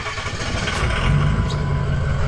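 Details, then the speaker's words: Ford 6.0 Powerstroke diesel cold start before flashing an SCT BX tune, possibly already tuned by a previous owner: a deep, steady rumble with an even diesel clatter and no misses or knocks; a healthy, docile cold idle. "Okay, so before we get started, I figured why not do a cold start so we can see how it sounds before."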